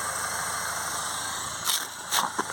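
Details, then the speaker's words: Nissan Qashqai after its blocked DPF, which caused a no-start, was cleaned off car: steady hissy exhaust rush, smooth even idle, revs up, no knocks or misses; running healthily with exhaust flowing freely. "that's it running see it revs up he'll need to go for a run to get the rest of the crap out but that's a good start"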